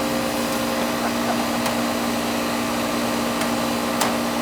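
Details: Goodman AC condenser after replacing the bad compressor capacitor, thermostat turned all the way down: compressor starts, steady even hum with smooth fan rush, no clicking or stalling; condenser running normally.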